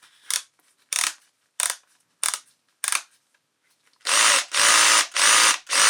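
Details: Makita DDF482 cordless drill after replacing intermittent trigger switch module (6507545, replaced by 6507537); brushes and motor had been fine: five quick trigger blips then four full-speed bursts, clean even whir; working properly again.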